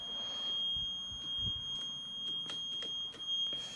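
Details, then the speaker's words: Vintage motorcycle being started on a jump box, in neutral: thin high electronic beep keeps cutting in and out over quiet background; unidentified repeating warning beep, source not found. "I don't know what that deeper is open think we can figure that out that beep is crazy I apologize I got to figure out what that that beep is"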